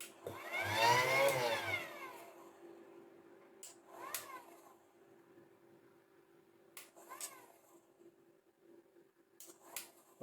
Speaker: I don't know, it's working now, mind. That sounds a bit noisy, I've got to be honest.